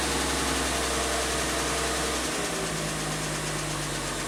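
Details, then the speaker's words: 1967 Triumph GT6 six-cylinder warming up with a hair of choke on a warm day: a smooth, even idle that settles slightly lower, with no knocks or misses. Healthy running. "Just beautiful. I just need a little bit of choke, like a hair. It runs so sweet."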